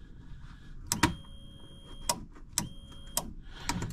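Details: 2008 Polaris RZR 800 with fan problem: with key switched on, the left-side relay gives crisp single clicks as it pulls in normally, unlike the suspected fan relay which does not click.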